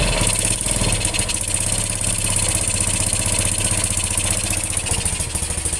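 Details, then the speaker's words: Yamaha Jupiter Z / Vega ZR-type small single-cylinder motorcycle after repair of a rough, ticking engine: even, steady putter at idle with no knocking or ticking; sounds okay. "hai oke mas bro suaranya oke Ya lumayan"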